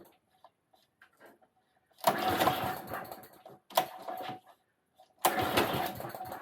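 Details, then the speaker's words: Qualcast mower with a Tecumseh engine, oil still cold and not warmed up. Three short bursts of ragged running that surge then die away. Owner suspects not enough fuel was let in. Engine running rough and stalling, cause not confirmed. "Not happy, is it? I might not have let enough fuel in."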